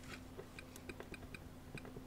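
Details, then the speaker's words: Soviet Akson Nafanya ZX Spectrum clone, first power-up after PSU restoration with the power light on. Quiet, light ticking about four to five per second over a faint hum; the machine appears alive, normal power-up ticking. "a that's a click if ever I heard one this thing is probably alive"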